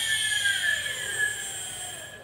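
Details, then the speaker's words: RC float plane electric motor tested at wide open throttle on a 2S LiPo after its 60A ESC melted; clean steady high whine winding down smoothly, no rattle or grind. Motor is fine, the ESC failed. "let's raise our throttle kicks in sounds perfect motor spinning there's wide open throttle and that's wide open throttle only on 2s lipo so that looks fine everything's fine"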